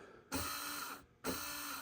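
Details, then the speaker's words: Honda TRX420 ATV electric shift motor test: two short bursts of high, buzzy whir, each stopping abruptly, erratic running suspected as the cause of continued shifting problems after a switch wiring fix. "Um so I knew the problem had to be farther down, which led me back to re-checking this motor and finding this very erratic nature of this"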